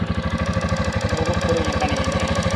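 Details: 2020 Rusi Flash fuel-injected motorcycle idling steadily and evenly with no misses, after fixing a no-start: a pinched, nearly cut injector wire was repaired and a loose terminal tightened.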